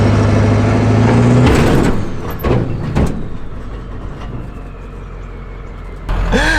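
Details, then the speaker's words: Truck engine labouring while towing a heavy trailer down a hill, then a sudden pop and clunks; drivetrain failure, unsure whether driveshaft or transmission, and park no longer holds. "you guys probably heard that sound there uh we're kind of in a conundrum so i don't know if that was a drive shot that just popped the transmission just went i don't know"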